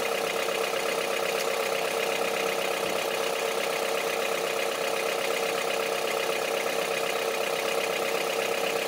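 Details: Honda CR-V III 2.4 petrol four-cylinder at idle with sharp, evenly spaced diesel-like clatter over a steady idle; knock at idle, cause unknown.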